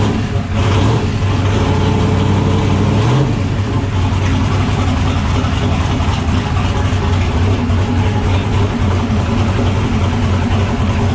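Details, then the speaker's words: LS-swapped turbo car after replacing and welding the whole hot-side turbo exhaust piping: deep, steady V8 rumble revving smoothly and settling, no hiss or chuff from the hot side; no leaks, no pipe holes, responsive; healthy. "everything feels good everything sounds good she sounds like she's ready to go uh there's no leaks anywhere everything's cinched down tight"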